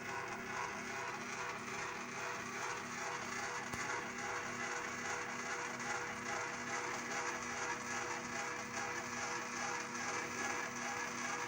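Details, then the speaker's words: Bench-top DIY CNC mill running Mach3, rapid move over about 7.5 inches at roughly 450 velocity; steady buzzing stepper whine with uneven ripple and visible wobble, a velocity issue; fix: motor tuning velocity lowered to 10, acceleration to 5. "really don't like how that's wobbling we're at 450ish okay so we have a step issue well not a step issue we have a velocity issue"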